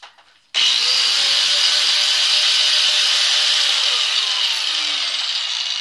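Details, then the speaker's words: Cheap grinder bought 35 years ago, after a seven-dollar repair: spins up from silence to a clean, steady high whine with no grinding or rattle; runs better than in a year. "that sounded better than it has been a year"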